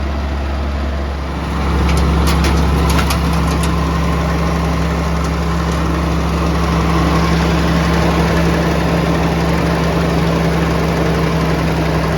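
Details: Vintage Allis Chalmers TL-14 loader diesel, warm, after idle screw turned down: low drone rises briefly, then holds a steady, even idle with a constant hum; running smoothly and healthy.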